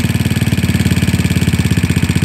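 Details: GY6 scooter carburetor idle tuning, idle mixture screw turned too far during adjustment: heavy, lumpy idle pulsing about twelve times a second with uneven beats, close to stalling; rough idle from over-adjusted idle mixture.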